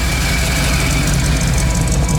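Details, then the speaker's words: 1985 Ford F-150 engine with HEI distributor at 700 rpm with AC on, warming toward 160°F, 15° timing, IAC around 21-23%: steady low even idle, smooth deep drone, no knocks or misses; healthy under AC load. "it's running at 700 RPMs [Music] with the AC [Music]"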